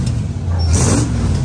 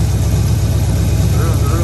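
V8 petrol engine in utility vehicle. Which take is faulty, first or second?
second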